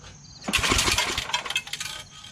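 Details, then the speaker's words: MTD Yard Machines Snow King 24" two-stage snow blower, 8 HP Tecumseh, carb not priming and likely clogged: quick pull-start cranks without firing, with a bright metallic rattle from a loose screw. "sounds like there's a screw loose i got a screw loose well now that sound has gone away the rattling screws what it sounded like"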